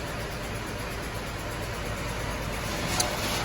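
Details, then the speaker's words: 2005 Cadillac CTS 3.6 V6 with codes P0300, P0303-P0306, P0420, P0430, just after an oil change: rough uneven stumbling idle, current misfire in cylinder five; leaking injector suspected. "clearly it runs like absolute garbage we just did the oil change the oil level is good okay someone was wondering currently looks like misfires going off in cylinder number five"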